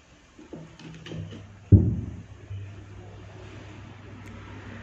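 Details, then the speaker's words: Faint steady low mains hum from an amplifier/mic circuit after a power-on thump, heard after resoldering the ground line of the USB module to an electrolytic capacitor; the buzzing on opening the mic volume has decreased but is still slightly audible. "so for the buzzing sound, it's gone . can't hear it, it's almost not audible, friends here, there is still a buzzing sound but the buzzing sound has decreased a bit, friends."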